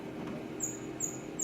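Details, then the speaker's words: Konica Minolta film scanner: sharp high-pitched dry friction squeaks repeating about every 0.4 seconds as the carriage travels, getting worse; irregular scanner movement from friction suspected, cause not confirmed. "This squeaks are getting worse. It's a wonder the images are not distorted by the irregular movement of the scanner because of all the friction that's causing the squeaks."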